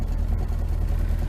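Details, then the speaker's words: Rover P6 needing tuning and a new exhaust, recently serviced, after running poorly on reserve fuel: deep, low idle with uneven, stumbling beats. Lumpy idle, cause not confirmed. "running not too bad bit lumpy still needs a bit of tuning"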